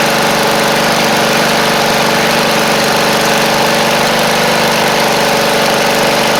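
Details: Briggs & Stratton V-twin on a free Poulan Pro (Craftsman) riding mower, running loud with a rough, uneven, rich stumble; carb flooding heavily, fuel pouring in, needle and seat gone (fuel pump not suspected), carb to be replaced.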